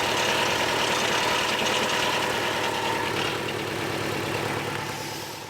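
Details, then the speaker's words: Turbo Subaru Outback XT after a cold start on a new battery, run outside: uneven, clanky, rattly idle; owner suspects the rusty exhaust, a failing turbo, or the engine's bottom end. "It doesn't sound too good. Sounds a little clanky, a little rattly. Could be the exhaust, could be the turbo that's eating itself alive maybe? Or it could be the bottom end of the engine."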